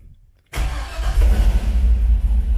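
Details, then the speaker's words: 1980 El Camino with an LS-swapped 5.3 Vortec and T5: after a blown 10 A fuel pump fuse is replaced, the pump primes and the engine catches right away into a steady, even idle. Normal start and idle. "you guys hear it it's primed up so that's all it was was the fuel pump"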